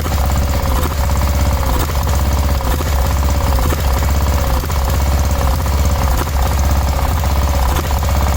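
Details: 1986/1987 Cub Cadet 1106 riding tractor, sat over 4 years, first start: runs hard but stumbles and surges about once a second, sputtering miss; owner smells very old rank fuel, suspects stale fuel; throttle also stopped working.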